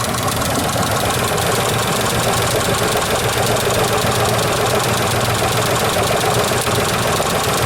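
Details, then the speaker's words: Isuzu Trooper V6, head gaskets replaced months earlier, idling with engine visibly rocking: uneven lumpy idle with irregular shake; not firing on all six cylinders, misfire being traced by unplugging coils. "It's not firing in all six cylinders, cuz if it was, it'd be balanced."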